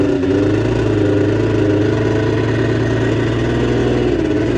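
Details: Arctic Cat JAG 3000 two-stroke snowmobile after repairs, started on choke before a test ride: steady, even burble with smooth unbroken tone, no misses or knocks, idling cleanly.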